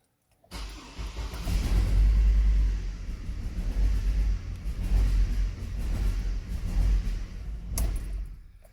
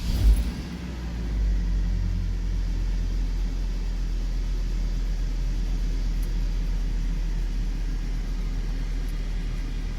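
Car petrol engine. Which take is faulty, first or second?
first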